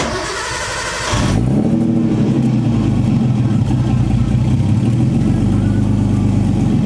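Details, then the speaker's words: Nissan RB20 just fitted with LS1 (2004 Pontiac GTO) alternator, fans removed: engine catches after short crank, dips as if to stall, then settles to even idle, no belt chirp or squeal; correct voltage, belt not slipping. "But it's putting out the correct voltage. The belt doesn't seem like it's slipping at all."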